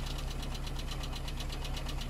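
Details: Car with 1.0-litre Skoda engine (not VW-derived), at idle: fast, even ticking about eight per second over a steady idle; lifter tick, owner suspects oil pressure though oil level is sufficient and the engine runs reasonably.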